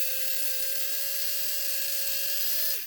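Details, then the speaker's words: Bulldog F1 BDR car on a 12-volt power supply bench test: high steady whine with a harsh gritty buzz of gear noise, winding down as power is cut; previously sounded like a bag of bolts. "Doesn't sound quite as bad as it did on the night. It was sounding like an absolute bag of old bolts, but you can definitely hear a bit of gear noise there."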